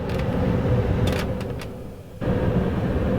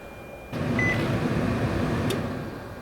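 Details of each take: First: 2005 Nissan Titan with manual climate control: loud steady rushing roar of the blower at full blast regardless of setting, dipping briefly then returning full; blower stuck on high, resistor and blower motor replaced as the fix. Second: Nissan Titan cabin blower after replacing the automatic climate control resistor and blower motor: it clicks on and settles into a steady, even rush of air at intermediate speed, now working normally.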